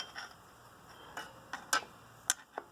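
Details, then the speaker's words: 1999 Chevrolet Tracker rear drum brake, close-up: irregular crisp metallic ticks, five or six in three seconds, as the adjuster lever ratchets over its teeth; working as intended. "you can see that the power lever clicking you can hear it I could pull it towards me but I can't push it and that pause doing exactly what I wanted to do"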